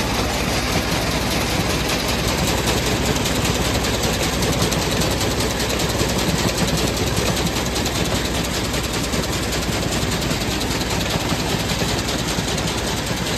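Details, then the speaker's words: Combine header knife running after repairing a broken knife head and reinstalling the knives, nuts and top mounting block: fast, even mechanical clatter at a steady rate, no bangs or grinding; knife cycling cleanly and working fine. "looks like it's working fine get going the next one"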